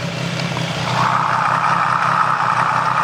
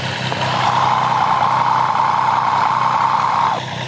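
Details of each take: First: Triumph 765 engine at idle, stethoscope probe on the cylinder 1 connecting rod during a diagnosis of a ticking noise. Only a smooth, even hum with no knock, so the connecting rod sounds normal. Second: Triumph 765 engine at idle, customer complaint of an abnormal noise, heard through a modified stethoscope probe. A light, fast tick at three or four a second rides over the hum, mixed with exhaust sound. A timing chain, tensioner or guide rattle is suspected, not confirmed.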